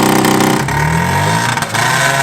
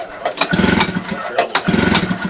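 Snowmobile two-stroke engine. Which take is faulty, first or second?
second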